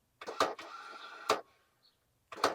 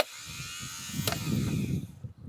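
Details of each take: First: Ford Courier that sat 30 years, heavier-duty starter fitted, triggered with a jumper wire: two short bursts of thin whirring between clunks with no cranking beat; the starter spins without engaging, and the owner fears a stripped flywheel. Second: Ford Courier that sat 30 years, new rebuilt starter tested on bench: fast, even electric whir spinning freely, no grinding or dragging; normal starter spin.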